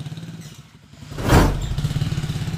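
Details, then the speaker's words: TMX155 tricycle motorcycle with sidecar after timing gear replacement for noisy engine: short rev pulling away, then even beat with no knock or clatter; runs smoothly, break-in at 40 advised. "oh napaka smooth"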